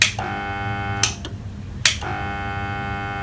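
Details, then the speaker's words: Household water pressure pump motor, powered on the bench: steady electrical hum with no spin-up, broken by sharp clicks; motor hums but fails to start, suspected weak capacitor or seized bearings, not confirmed, winding may overheat. "लोगों को आवाज आई होगी ह करके इसके अंदर से तो ये क्यों होता है देखिए मोटर्स अगर कुछ अरसे चल जाए अगर आप उसकी मेंटेनेंस ना करें तो चांसेस ये होते हैं कि यहां तो उसका जो कैपेसिटर है वो वीक हो गया है या इसके अंदर के जो बेयरिंग्स है व जो जाम हो गए हैं"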